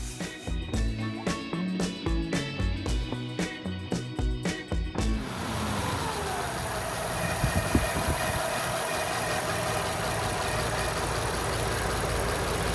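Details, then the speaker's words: 1935 Ford coupe Flathead V8 after replacing failed fiber timing gear (engine removed, hand valve job, heads surfaced, resealed): after clatter up front, smooth even low idle hum with no knocks or ticks, like a sewing machine; healthy. "Sounds like a sewing machine. Yeah, it does."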